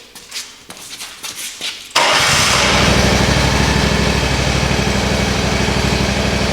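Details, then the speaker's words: Exmark mower engine right after a full service including the spark plug: a quick crank, then it catches and settles into a strong, even, steady beat with no misses or knocks. A healthy start and run. "Sounds like a champ. Yep. She ripped."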